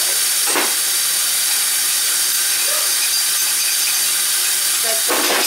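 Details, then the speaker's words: Kitchen sink draining after basket strainer replacement: steady hollow airy hiss as the drain, lacking proper venting, sucks air through the trap, siphoning it. "so the plugin noise is this it's actually sucking it's not being able to be vented so it pull it from the trap"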